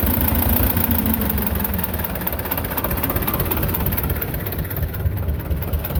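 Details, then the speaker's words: Belarus 250 tractor, two-cylinder air-cooled diesel that sat for years with a no-fuel problem, at steady throttle after reassembly: low, uneven chug that falters and dips. Owner suspects lift pump trouble; surging from fuel starvation. "yeah I think we've got pump issues I haven't looked up to see if I know you could buy this pump the lift pump portion separate"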